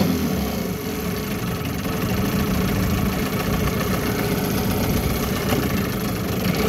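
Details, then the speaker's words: 1974 Johnson 15hp outboard on a 1956 Alumacraft 16ft boat, pond test after new fuel line, plugs, gear oil, impeller and carburetor idle tuning: steady even drone at constant speed, no misses, knocks or surging; normal running. "uh seems to be doing well i'll fire it up and take it for a run around and just to show you how it's doing"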